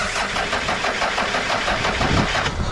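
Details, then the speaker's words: 1998 Toyota Camry after timing belt replacement: fast, even starter cranking with compression pulses, injector pulse and spark present, fuel sprayed, yet never fires; valve timing possibly off, crank no start. "I'm still not getting it um what else now it could be the timing is off it is possible"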